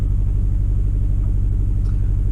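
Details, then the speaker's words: 2009-2014 Suzuki SX4 running really rough at idle: deep lumpy, uneven pulses; cylinder 3 and 4 misfire codes, ignition coil swapped between cylinders to confirm a failed coil. "I don't know if you can hear that, but it's running really rough."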